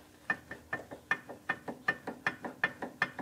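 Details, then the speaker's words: 1969 VW Beetle with independent rear suspension, rear wheel bearing checked by rocking the hub by hand up and down with brakes removed: sharp clicky, clanky clicks two or three a second, too much play; worn, loose rear bearings, replaced inner and outer. "you hear that and then this way as well so it's both directions up and down so we just don't think there should be that much play and that much sort of clicky clicky clanky clanky noise"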